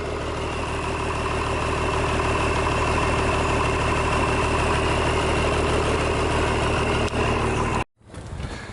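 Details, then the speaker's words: DT466 diesel with a 5-speed, first start in 8 years, injector pump previously rebuilt, turbo cleaned out; steady, even clatter with no misses or knocks, then shuts off; runs fine. "sounds good looks like it's going to run all right uh I think everything will be fine on it"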